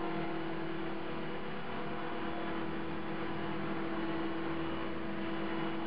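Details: CopterX RC helicopter after a crash, blades not tracking: steady loud buzz with a strong fixed hum around 300 Hz over the rotor whoosh; owner suspects bent blades, hopes not blade holder or feathering shaft.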